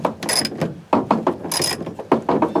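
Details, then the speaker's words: 1991 Range Rover sunroof being cranked by hand: irregular bursts of creaking, ratcheting clicks; mechanism very stiff and binding but still moving. "That's quite stiff. I'm going to go around the other side and see if I can get it. The good thing is that the mechanism is working, but that's"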